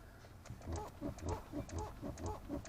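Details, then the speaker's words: Lexus RX300, steering wheel rocked back and forth: rubbery squeak about four times a second from the rubber boot where the steering shaft passes through; greasing it removed the squeak. "И вот когда рулём вращает так чтобы видно было вот там и скрипит"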